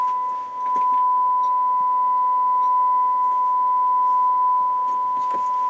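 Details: Harman Kardon PM645 integrated amplifier on the bench after repair, warmed up 10 minutes: steady clean test tone at one pitch with no hum, crackle or thump, no DC thump on speaker switching; amplifier playing properly.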